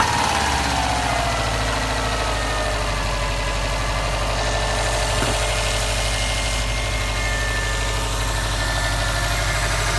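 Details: 2015 Subaru STI at idle after check engine light, started and driven 2-3 miles: fairly steady idle with rough repeating knock two or three beats a second; cause unknown.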